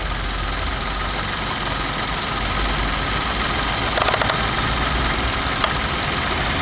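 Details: Old car idling, bonnet open: loud uneven idle with a loose irregular rattle and a few sharper knocks; timing chain looks fine and engine otherwise smooth; rattle source not yet found.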